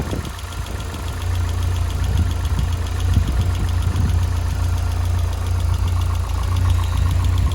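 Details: Lotus Elise K Series engine at idle: steady hum with a light, fairly regular ticking about twice per second; ticking of unknown origin.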